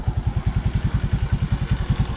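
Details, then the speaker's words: Suzuki Raider J Fi crossover single-cylinder motorcycle after valve clearance adjustment: even, quick low thumps about eight per second with the earlier top-end ticking gone; clean, normal idle. "paandarin natin tingnan natin kung malagitik Pa Rin tara yun nawala yung lagitik niya mga kaibigan"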